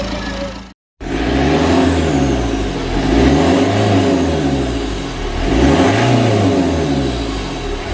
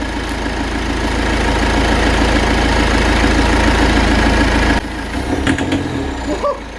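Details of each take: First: Berlingo HDi turbo diesel, revved after Lucas EGR/turbo cleaner treatment and an earlier near-runaway from black liquid pooled in the intake: four clean blips rise and fall smoothly back to idle with no runaway. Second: Citroën Berlingo HDi turbo diesel that misfires badly when driven, idling as Lucas EGR and turbo cleaner is sprayed into the intake in two-second bursts: steady clatter, then the note drops and turns ragged, belching smoke.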